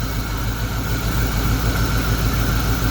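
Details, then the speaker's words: 1991 Mustang GT V8 with two dead cylinders, after an injector rebuild and new PCV hose: an uneven, loping idle where one cylinder still makes no power. Dead cylinder misfire from low compression. "so let's try this again that cylinder is still not making power"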